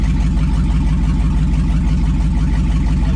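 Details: 2002 2500HD parts truck, 622,763 miles, on old gas, in park; over 40 psi oil pressure, alternator charging; steady V8 idle, even pulses about three a second, no knocks or misses; healthy.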